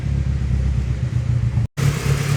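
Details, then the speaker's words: Honda Civic D16Z6 SOHC turbo build (locked VTEC), after valve readjustment, warming up with idle possibly needing adjustment: low, steady idle rumble with no tapping or ticking; valvetrain quiet and healthy. "valves are definitely not as noisy like this quiet yeah for no blood no valve noise that sounds really good"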